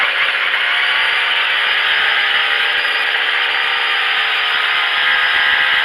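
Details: Craftsman 25cc two-stroke string trimmer after carburetor adjustment for bogging, no power: high, steady buzz holding full revs evenly with a faint squeak behind it; normal running.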